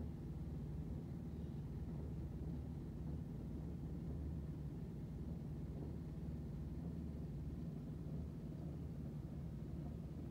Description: Noise and vibrations coming from a running washing machine on the other side of the kitchen wall.